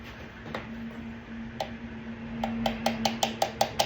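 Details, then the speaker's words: 2008 Dodge Durango 5.7 HEMI: the hung-up cylinder 4 deactivation solenoid clicks once, then after a tap clicks crisply and evenly at nearly three a second over a low hum. It was stuck, causing the P0304 skip, and is being replaced anyway. "Right now, this solenoid right here is clicking. It's number 4, which it's hung up, but we're gonna go ahead and change it anyway."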